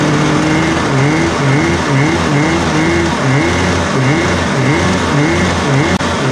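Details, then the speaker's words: 1993 Yamaha WaveRunner 650LX two-stroke, revived after a seized engine and a new carb, on new mixed gas with the fuel valve turned on: buzz climbing and falling in repeated throttle blips, picking up cleanly each time; running healthy. "you know what she runs all right let's put some more stuff together on it"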